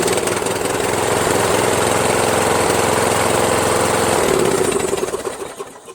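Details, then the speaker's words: Toro Wheelhorse 1238XL lawn tractor starts great on a 12.7 V battery with a starter rebuilt from two or three broken ones, after it used to just click: even, steady single-cylinder chug for about four seconds, then a smooth wind-down. "I'm gonna crank it and see I just tested a battery I've got 12 point 7 volts so that's more than enough [Applause] it says quiet right here so I put the cover back on and look it starts great"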